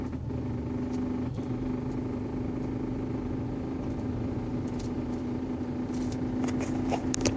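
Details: 2011 Hyundai Sonata 2.0 L Turbo Limited: intermittent droning hum over idle, usually with A/C on and light acceleration, goes away when A/C or fan is switched off but sometimes persists; seems to come from passenger side of engine; cause unknown.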